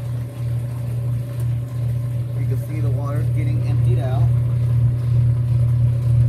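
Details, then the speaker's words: Whirlpool WTW5300SQ0 top-load washer after a new timer was fitted, on the drain/spin after pre-wash: steady low motor hum with a faint warble, no knocking or grinding, a normal drain and spin. "so it sounds like when it's spinning"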